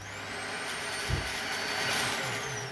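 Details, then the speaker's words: Dyson vacuum, not sure which model, after a fix for its on/off howling noise, blamed on its filter: a steady high motor whine with an even air rush, no howling or surging. "I mean, yeah, it's full of crap and everything. Needs emptying, like I said. Needs an overhaul. But I fixed the problem of that noise. So your hoover isn't broken."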